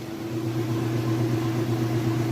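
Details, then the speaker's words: Whirlpool Roper washer at the end of its spin cycle: a smooth, steady fast hum with no thumping, grinding or wobble. It spins even and level, normal. "nice and fast. It's nice and even and level. No weird noises or anything like that."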